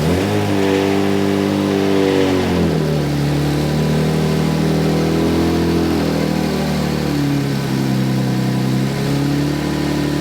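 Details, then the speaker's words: Freshly installed 1JZ-GTE in an LJ Holden Torana revving up and down with a harsh, uneven drone and raspy roar; untuned, mufflers suspected; rough running. "that sounds really weird eh yeah it's a bit nasty"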